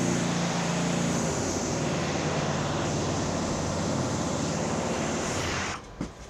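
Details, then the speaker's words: Ariens 926LE snow blower, Tecumseh Snow King engine, after carb cleaning and tune-up: starts first pull, even steady roar with no misses or knocks, then shuts off cleanly; max speed set to 3500 rpm, idle adjusted down. "there we go started first pull it should start that well for the customer every time"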